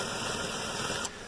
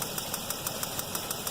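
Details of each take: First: 2007 Chevy Equinox 3400 V6 with 100k miles at steady idle: earlier tic-tic ticking thought to be a lifter went away when a loose, moving spark plug wire was adjusted; now no ticking under a hissy wash. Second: 2007 Chevy Equinox 3400 pushrod V6, 100k miles, at idle: sharp even ticking like a bad lifter, about six per second, actually a spark plug wire visibly moving, loose or arcing; reseating the wire stopped the noise.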